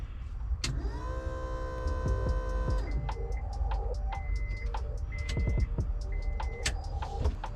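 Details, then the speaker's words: 1997–2001 Honda Prelude with a JDM H22A swap, high mileage, ignition switched on after the fuel pump was replaced because the old one cut in and out. A steady high whine for a couple of seconds, normal fuel pump priming. "And now we want to verify that the pump is good and running by turning on our ignition to on position. There you go, you can hear the pump whining."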